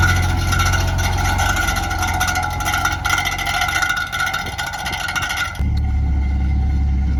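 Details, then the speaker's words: 1970 Mercedes 280 SEL after a one-block drive: fast, uneven clunking at about three knocks a second over idle as the detached power steering pulley, with a loose nut where the belt came off, hits the fan; steering went tight. "So, we found a loose nut coming off where the belt was and it's actually hitting the fan."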